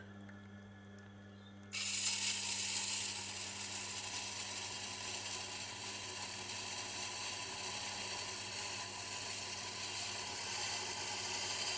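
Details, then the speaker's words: Tormek T8 sharpener with a Blackstone wheel: steady motor hum under a hissing grind while sharpening a large knife, with a faint tick once per revolution from little bits stuck on the wheel. "Now I don't know if you can hear that ticking sound. It's once per revolution. And what happens with the Blackstone, I've noticed, is that it tends to get, what's the word I'm looking for? There's little bits tend to get stuck on the wheel."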